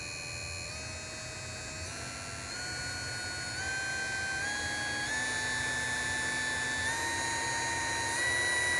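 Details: Small brushed DC motor running unloaded, its voltage raised by hand so the rpm rises and the whine steps up in pitch; internal fan and commutation noise with a light bushing shaft rub, checked on a Uni-T UT353 sound meter; normal running.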